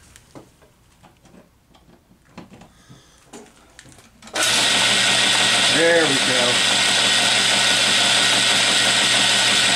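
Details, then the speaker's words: Atlas 10F lathe gear train after cleaning, reassembly and mesh adjustment, one gear still a little tight: after a quiet start the gears spin up to a steady, even whir with no grinding or clunking; running smoothly. "sounds much better make this gear is still a little tight see what that sounds like"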